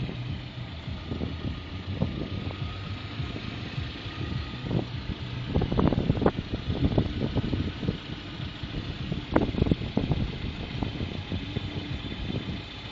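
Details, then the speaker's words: Lada Priora 21126 engine, block bored for 82.5 mm pistons, new rings, under 1000 km since rebuild, warm idle: irregular sharp knocks that come and go, loud knock when cold; owner suspects camshafts. "звук то появляется то пропадает [музыка] подозрение на распредвалы возможно ли это спасибо за ответы"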